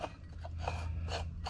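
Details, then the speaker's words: Worn water pump bearing on a 2012 VW Jetta, pump leaking: dry, scratchy rasping in bursts about three times a second as the pump is turned. "we know the water pump is gone you hear the noise the bearing"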